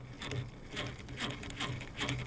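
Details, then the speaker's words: Cheapest Amazon casting reel after a hard run burned its star drag hot: rough, uneven scraping in repeating bursts about twice a second as the handle turns; overheated drag has damaged the reel. "Wow, that reel is not liking it whatsoever."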